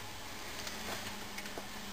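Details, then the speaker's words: Prewar GE CA Monitor Top refrigerator (methyl formate) after purging non-condensable gases: compressor now much quieter, steady low hum with faint light ticks and no rattle; normal compressor running. "one thing you may have noticed is that the compressor is a lot quieter now there's no rattling so all looks good"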